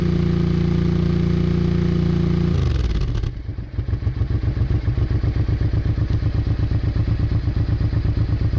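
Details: Honda Bros/Hawk GT 650 V-twin, late-80s, mic held near the exhaust while checking a small coolant leak: smooth drone drops into an even, loping thump; fires steadily with no misses, normal exhaust note.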